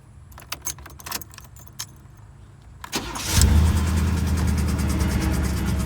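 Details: Chevrolet Landau (box Chevy) starting: few clicks, brief crank, then idle with light ticking about three times a second; owner suspects the noise is between flex plate, starter and torque converter, unconfirmed.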